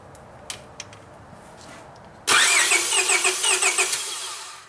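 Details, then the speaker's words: 2001 Honda Prelude 2.2 four-cylinder cranking: uneven, lopsided starter rhythm because cylinder 3 has low compression, confirmed dead by a relative compression test on an oscilloscope. "when you crank it over you can hear there's something wrong"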